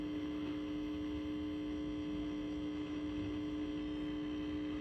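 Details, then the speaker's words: Original cocktail table, probably an Asteroids Deluxe, first power-up on the bench: loud unchanging low buzz with stacked overtones through the speaker, suspected coming off the board; ground loop hum from bad ground. "Wow, that buzz is nasty. That's got to be coming off the board here. That's got to be coming off this."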